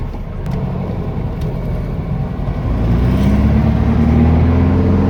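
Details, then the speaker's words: Air-cooled VW Beetle after clutch work pulls away on a test drive, engine rumbling and rising smoothly with no judder or chatter; clutch engages cleanly, no shudder. "Okay, let's get it down. Let's get her down. She sounds good."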